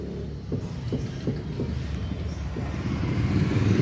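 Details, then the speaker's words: Fiat Palio 1.0 with dull knocks about three a second over a low rumble from the front suspension: play in a worn lower control arm ball joint. "mostrar para vocês um barulho que se encontra na suspensão desse veículo"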